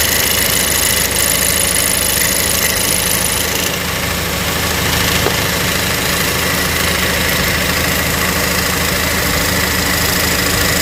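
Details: Cadillac ATS idling in Drive, mainly after a long drive, with a buzzy metallic rattle over the engine that goes away with a little gas; cause was a broken exhaust bracket by the oil filter, repaired by welding.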